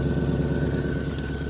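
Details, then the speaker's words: Petrol engine idling with smoke from the rear and a suspected knock: rhythmic bubbling puff about ten times a second from one side, suspected exhaust leak, not pinned down. "I hear a big loud bubble bubble bubble coming from over here. So, I think you have an exhaust leak over here somewhere."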